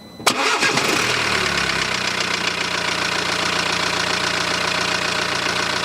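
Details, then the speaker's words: BMW diesel just after installing a refurbished engine, initially a little rough; cranks and catches at once, then settles into an even, steady idle with no misses or knocks and no exhaust smoke; sounds like a new engine. "sweet and you could even say it now sounds like a new engine no smoke whatsoever from the exhaust"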